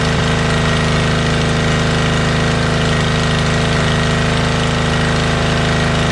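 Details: Motorbike started outdoors; when bought it ran poorly and its carbs were filthy: loud, even exhaust beat at a steady pace with no misses or stumbles. Normal running, owner confirms both cylinders are running.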